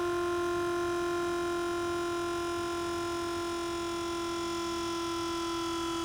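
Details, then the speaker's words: Buick Grand National Powermaster brake pump after installing new pressure switch (old one leaked fluid internally, caused frequent clicking): steady even motor whine, no clicking, shuts off normally; good switch. "See it shut off, no clicking, motor doesn't run for a second and shut off and like it did earlier. That's a good switch."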